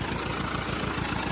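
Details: Ford 8N tractor idling after oil change (Napa 30 weight, new filter), started with a little choke: even regular chuffing exhaust pulses at steady slow idle, no knocks or misfires; healthy engine.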